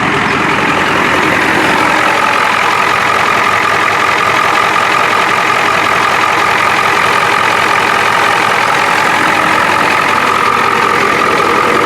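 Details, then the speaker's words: 1993 Ford F-250 7.3 IDI non-turbo diesel, 242,824 miles, with a makeshift modified muffler: firm, even clatter held at raised revs, no misses, knocks or blowing leaks, no smoke; sounds healthy. "You can see it sounds healthy, so look at that thing. No smoke."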